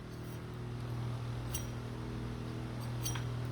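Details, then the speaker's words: Brand-new four-inch flat (non-V) idler pulley bearing spun by hand with belts removed, turning almost silently with no grinding or roughness, only low room hum; smooth, quiet bearing, unlike the rough worn Chinese-bearing pulley it replaces. "now here's a brand new one that's smooth"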